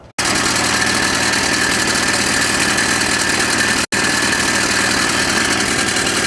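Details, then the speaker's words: Craftsman snowblower (rusted, runs), run after oil found very low and changed, steady fast speed with a harsh rattly clatter throughout; unclear whether it comes from inside the engine or the crude-looking pulleys. "it was noisy I couldn't tell if it's inside the engine or in his crappy looking police"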